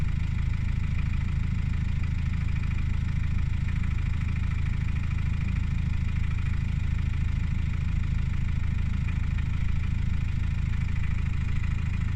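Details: Subaru Outback 2.0D diesel at idle: steady, fairly regular tapping of about three per second over a deep rumble, a weird engine sound with the cause unclear.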